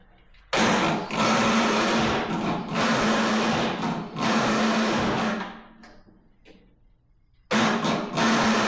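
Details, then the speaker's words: MTD Yard Machines riding mower, 13.5 hp Tecumseh, after swapping a switch with no 12 volts reaching it: starter whirs in long even bursts with faint steady hum, engine never catches; cranks without starting, owner suspects starter. "Nope, nothing. Maybe it is a starter after all."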